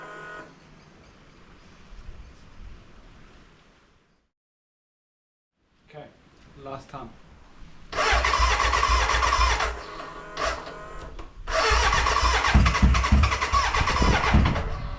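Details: BMW K100 café racer first start after rewiring, tank newly fitted and fuelled: two long bursts of fast starter churning, three to four beats a second, stumbling without catching, a cranking no-start; owner suspects the battery died and will recharge.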